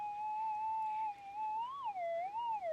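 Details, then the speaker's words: GPX 6000 metal detector with standard 11-inch coil: clear, steady tone near 800 Hz wavering and swooping as lead shot passes the coil rim over the winding, the sweet spot; little response at coil centre; some EMI background. "you can hear it pinging right on the side so you see this Rim around here that line there to that line there that's where the winding is around there so that's your sweet spot"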